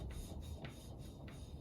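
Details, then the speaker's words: Yamaha Virago 535 valve lapping with coarse paste and a suction stick: a dry rasping swish about every 0.6 seconds has gone smooth. The tone has changed, so the paste is spent. "The noise has changed now. So we're going to remove the valve again. We're going to take some of the excess that's moved around."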